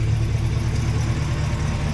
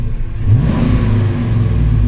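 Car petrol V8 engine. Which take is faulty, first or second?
first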